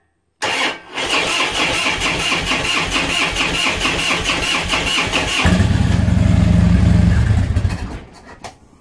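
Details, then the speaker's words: 2005 Harley-Davidson Road King, carbureted, first start in a year with a battery fitted, choke pulled; short crank, catches fast, loping choked idle swelling louder; healthy cold start. "all right so this is old carbureted bike i'm gonna reach down here and pull the choke out"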